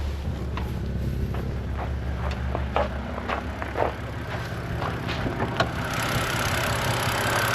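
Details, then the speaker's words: 2011 BMW 128i N52 engine after hydraulic lifter bleed procedure: steady, smooth idle with only light, irregular direct injector ticking; lifter tick from valve cover gone. "um you will hear some ticking that's from the direct injection on the engine but the injector's firing"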